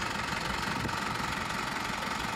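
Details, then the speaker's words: Isuzu D-Max 4HJ1 diesel after low-budget rebuild following overheating no-start, injectors bled: even clatter at steady idle, no misses, knocks or hunting; starts on one click, healthy. "So ngayon, okay na siya. One click na."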